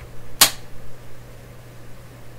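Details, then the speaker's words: Sylvania clock radio after fitting an alternate power switch on the back to replace the broken original: one crisp click then faint steady hum; switch engages cleanly and power comes on at once. "you're gonna hear the click when I turn the power on you tell me if this is delayed or not"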